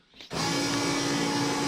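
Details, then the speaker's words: Turbocharged B-series Honda Civic EG time attack build, key on before start; steady hum clicking on and holding a couple of seconds as the fuel pump primes; normal fuel pump priming. "is your fuel pumps going you for a couple seconds"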